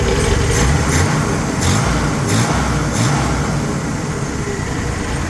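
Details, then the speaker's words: Corvair with fresh timing, adjusted carburetors, coil hot-wired to battery, good compression: steady smooth idle sitting a bit high, carburetor throttle linkage noted sticking; fast idle. "Well, I'm pretty happy with that. As you can see, it's still idling a little fast. But I'll deal with that."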